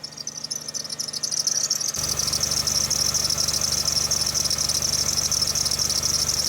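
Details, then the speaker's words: 2002 Jeep Liberty Limited at cold start on jump box: loud steady high squeal as engine fires and holds at idle; slipping serpentine belt despite aligned pulleys and belt in good, fairly new shape. "Pretty bad belt squeal right now. None of the pulleys appear to be out of alignment. Belt's in good shape."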